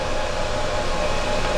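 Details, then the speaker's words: EcoFlow Delta power station at 84% battery, skillet still drawing about 1,500 W with phone plugged in: steady airy fan rush with faint even whine, no rattle or pulsing, fan stops once draw ends; normal cooling. "It's still making, I wouldn't say a ton of noise, but you can definitely hear the fan going. It's actually going to go off here in a second."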